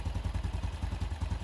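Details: Honda Wave 110 single-cylinder after carb, top and side overhaul (gaskets, bearing, broken parts replaced, reversed clutch-side assembly corrected): even steady putter idle about eight beats a second, no rattle or knock; healthy.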